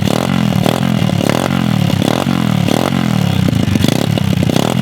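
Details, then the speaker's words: Mini pit bike pulled from a lake, with water in the engine, fresh oil and ethanol-free 93, on its first start: small rough single revs with burble and rattle as WD40 burns off, but it runs on its own. "wow this thing actually runs"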